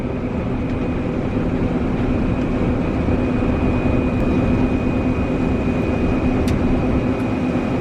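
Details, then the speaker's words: Combine harvesting soybeans after checking for something caught, rock trap clear: steady, even machine drone with constant high drive whine and no knocks or grinding over eight seconds; sounds fine, normal harvesting. "sounds fine so we're gonna keep going maybe it was something that got caught"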